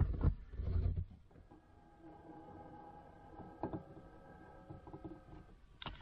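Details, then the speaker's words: Audi A6 3.0 TDI V6 quattro, over 300,000 km: power mirror adjustment on the other side. Strained, buzzing motor whine for about four seconds, louder and rougher than it should be; mirror works but makes a racket. "auch aber macht auch einen heidenlärm"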